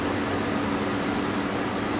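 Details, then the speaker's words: GE Profile air conditioner, curb find, on cool at 61 on high: only steady airy fan rush, no compressor hum or start click; fan runs but compressor not kicking in. "It's on 61. No compressor though. But the fans are running. And this one's running."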